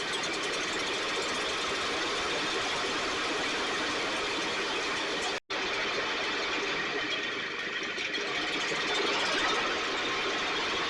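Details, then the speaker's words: STIHL backpack blower (believed 6R450), new air filter and spark plug, recoil off. High buzzy two-stroke cuts out briefly, then speed hunts; runs lean, needs occasional choke; a little water in tank not deemed the cause; carburetor suspected, stiff pump diaphragm. "In order for me to keep it running, I have to give it a choke once in a while so it's running lean."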